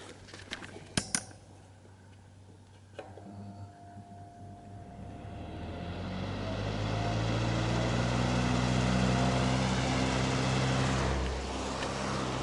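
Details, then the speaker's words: 2003 Honeywell RE-300E all-metal chrome 12-inch desk fan, started on low: the motor hum climbs as the blades spin up, then settles into a steady, even whoosh with no rattle. Healthy fan. "we're now going to run this fella starting on low and yes I will get that startup sound"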